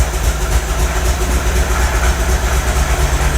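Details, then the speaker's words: MGB 1800cc engine started after sitting a few years: low, lumpy idle with occasional stumbles, improving as it runs; owner suspects a sticking valve or two, good oil pressure. "it's getting better it's getting better now i think we've just had a sticking valve or two"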